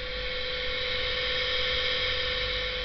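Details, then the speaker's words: Electro-hydraulic power steering (EGUR) pump unit on a bench, started over CAN bus by replaying a log from a running Paladin via CAN-Hacker: steady mid-pitched motor whine over a constant hiss, no wavering or grinding; runs normally. "загрузили лог и запускаем его двойники замигали электромотор запустился все прекрасно все работает"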